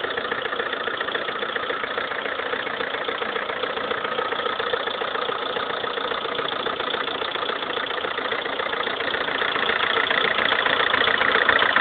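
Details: Lada Kalina 1.4 16-valve, 2011, 20,000 km, idle: quick regular tapping about three to four per second over engine hum, piston knock; suddenly rattled like a tractor overnight, dealer fitted pistons of a different size group, fixed.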